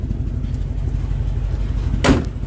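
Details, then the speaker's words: 1957 DeSoto Firesweep hot rod V8 through side pipes: loud lumpy idle with uneven puffing chuffs on each pulse, indicating an exhaust leak. "oh yeah those side pipes beautiful exhaust leak too to go with it god you can't have that or maybe you can"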